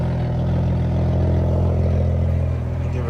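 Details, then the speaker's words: Toyota MK3 Supra on first start after installing the gas tank, muffler cut off: deep, loud, steady rumble from the unmuffled six with an even beat and no knocks or misfires; engine runs healthy with an open exhaust. "yeah she uh sounds good they cut the muffler off but so hopefully I can find some sort of exhaust system put on this"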